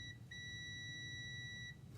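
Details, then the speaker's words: Mazda RX-8 six-speed manual, P0850 neutral switch code and cold-start surging idle: multimeter across the transmission switch connector in reverse gives a short blip then a steady high beep, showing continuity; reverse switch working. "and I've got continuity because my reverse switch is working"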